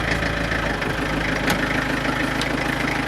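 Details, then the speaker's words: Renault Master diesel van, cold start at about 3°C in damp cold, last run two days earlier: uneven shaky, lumpy diesel clatter at cold idle with no steady rhythm; slight preheating (glow plug) problem. "bon je crois que c'est clair il ya un léger problème de préchauffage sur ce camion on va laisser tourner un petit peu"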